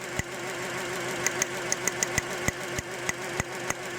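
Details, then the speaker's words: 2006 Honda Element after engine rebuild and reinstall, idle: sharp uneven ticks and stumbles about three a second; unplugging number two changes nothing while the coil sparks, owner suspects bad injector; misfire at idle. "so here we go we're doing some troubleshooting number one yep definitely an issue number four yep definitely changes it number three definitely changes it number two doesn't change at all"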